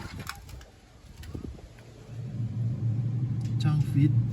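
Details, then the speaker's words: Samsung two-door inverter refrigerator that was completely dead (no light, fan or compressor), after replacing one IC on the inverter board: a low steady compressor hum builds and settles with a soft fan whir. Now running normally and cooling. "ตอนนี้บอร์ดอินเวเตอร์ทำงานแล้วนะครับเสียงคอมทำงานนะครับอเตอร์ทำงานเสียงคอมทำงานแล้ว"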